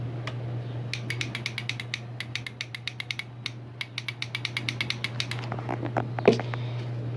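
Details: 2005/2006 Yamaha R6 in neutral, new battery taken from a different bike, after rusty tank cleaning and fuel pump wiring repair: with key on, rapid irregular dry clicks over a steady hum and no cranking. Starting-circuit fault, cause not yet found.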